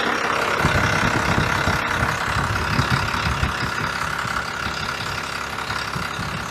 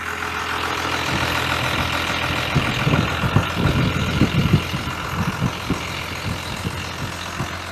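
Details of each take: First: 1993 Dodge W250 Cummins 5.9L 6BT, manual transmission, running again after radiator and coolant refill: slow heavy diesel clatter with loping beat at about 650 rpm idle, spec 750; low idle speed before adjustment. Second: 1993 Dodge W250 with 5.9L Cummins 6BT diesel, manual transmission, idle raised from about 650 rpm to 750–800 rpm: steady, even diesel clatter, no misses or knocks; idle now on spec.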